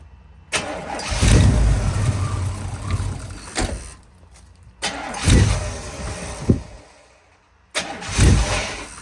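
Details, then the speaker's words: 1992 Chevy K1500 Blazer just after a fuel pump replacement. The engine catches, then the idle rises and sags every couple of seconds, an unsettled surge. The O2 sensor in the headers was found broken, with its threads stripped. "all right so if you guys can hear the truck kind of surging back and forth so I realized the O2 sensor was broken"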